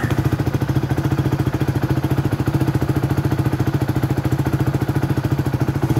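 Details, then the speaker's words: Rusi Flame 150X single-cylinder motorcycle, 9 months old, 6,385 km: even steady thump about 170 pulses a minute, no knocks, ticks or misses; healthy idle. "All goods na goods pa naman yung tunog ng makina niya."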